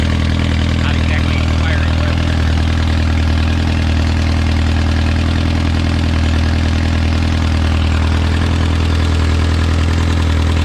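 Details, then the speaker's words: Original early-1950s engine of a Renault 4CV (car a 1952; engine failed in the early 1950s with cracked block, weld-repaired), reassembled and run for the first time in ~70 years, warming up: smooth, even idle, steady low thrum, no knocks or misses, barely smoking; normal idle. "now we need to put it on a dyno though it's probably got more horsepower and you know it's not even smoking much"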